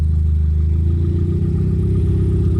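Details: Turbo Mitsubishi after retiming a jumped timing belt, with new plugs, distributor and ECU, running on downpipe only, no full exhaust: smooth, even low idle with steady throb, no misses or rattles; loud but clean.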